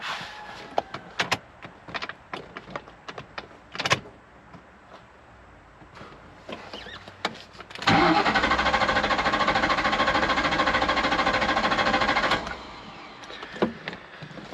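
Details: 1998 Ford Mustang, about 122,000 miles, crank no start: about four seconds of healthy, even cranking that stops without firing. Theft light flashes, no keys registered; transceiver reads 11.4 V. Faulty anti-theft transceiver needs replacing, probably plus two new keys.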